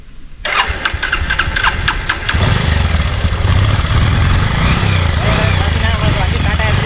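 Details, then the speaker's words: Petrol motorcycle converted experimentally to run on gas only, no petrol: a few quick starter clicks, then engine catches and settles into steady, even idle on gas with no misfire; normal start and idle on LPG. "பாத்தீங்கன்னா ஃபுல்லா புடுங்கிருச்சு. நம்மளுடைய வண்டி பாத்தீங்கன்னா ஃபுல்லா கம்ப்ளீட்டா start ஆயிடுச்சு."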